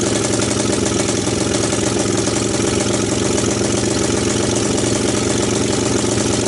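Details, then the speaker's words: 1998 Honda TRX300EX single, abandoned a year, first cold start via jump box, portable CDI and starting fluid: loud raspy idle running rich, with light fast top-end clicking that sounds less bad than feared. "the clicky clicky didn't sound quite as bad though the exhaust was pretty loud but the clicking didn't sound too bad up on top"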